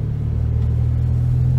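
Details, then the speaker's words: Ford Focus ST225 2.5L five-cylinder turbo idling with uneven lumpy pulse, getting worse; owner suspects spark plugs, possibly coil pack or mass airflow sensor. Misfire. "the other day the Ford has developed another issue I'll try and demonstrate it that is a misfire my friends"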